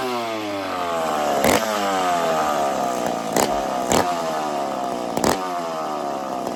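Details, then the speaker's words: McCulloch two-stroke chainsaw after starting trick, warming up: high steady buzz wandering slightly, sharp clacks over it, blowing smoke as it warms; runs fine, normal warm-up running. "So, did you guys hear how the saw kind of how it got warm? Blew all the smoke. This is a crazy saw, friends."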